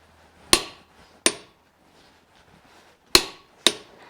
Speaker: And you hear that click, and that tells you that it's tight enough.